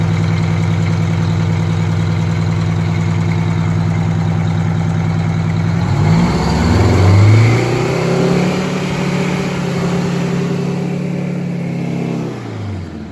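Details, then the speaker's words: Detroit Diesel 92 series, sat 20 years, in a bus after first start, full-throttle pedal test on cold oil: climbs smoothly to governed speed, holds steady, eases back down; even pulses, no knock or rattle; healthy. "going to test for Full Throttle with the pedal yeah that's all now it goes further than that [Music] he's going to take it up to the governor"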